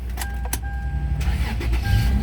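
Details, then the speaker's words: 2004 Toyota 4Runner at a pre-purchase inspection, battery had been dead: brief crank, then the engine catches at once and settles into a steady, even idle; the start sounds healthy. "there we go i ran it for a couple minutes to start it right up it's good"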